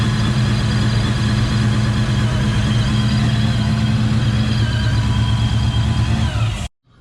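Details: Coyote-swapped supercharged Foxbody Mustang on E85, three-inch exhaust, first start after tuning: loud deep steady lopey V8 idle, slight early misfire noted, otherwise no knocks, normal idle.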